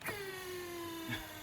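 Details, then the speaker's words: Mercury 40 HP outboard electric tilt and trim motor on a failing battery (engine needed a jump start): whine sags in pitch as it labours; trim down works all right, trim up struggles. "It won't do very well because the battery's failing. It's electronic tilt and trim. Okay. We've got to take the battery out because it's failed, but you can hear it. Down's all right."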